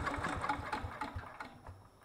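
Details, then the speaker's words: Miller Bluestar welder, sitting 5 years: a few quick firing pulses on fuel poured in, fading within two seconds; the carburetor isn't picking up fuel, so it needs removing and cleaning. "we definitely have fuel problems so I'm gonna have to take that carburetor off clean it and throw it back calling there and see if we can get it to run"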